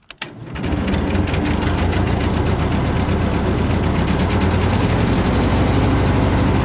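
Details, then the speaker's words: Cub Low Boy 154 tractor after new spark plugs: starts and settles into lumpy, uneven beat with steady skip; the two front plug wires were installed backwards, causing the misfire. "Those 2 plug wires that I said I thought were self-explanatory weren't. I had them on backwards, the 2 front ones."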